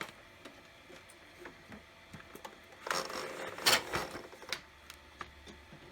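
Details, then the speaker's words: HP LaserJet 1200 after lubricating the laser scanner to cure a loud squeal: sparse soft clicks and a short paper-feed whir with no squeal while making copies. The printer now operates normally. "seems like it's working so far that noise is gone and made some copies"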